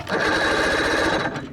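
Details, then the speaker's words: 1987 Johnson 40 hp two-stroke outboard: fast even starter chatter turns it over but it never fires; no spark, traced to a faulty key switch after rewiring. "All right, so we got a no spark situation."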